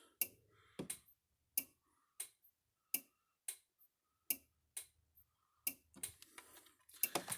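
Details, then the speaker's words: Gallagher MR2500/MR5000 electric fence energizer after repair, with the ribbon cable reconnected: crisp single clicks about every two-thirds of a second. It pulses normally, and a fence tester reads almost 8,000 volts. "turn it on clicking right along there like it's supposed to"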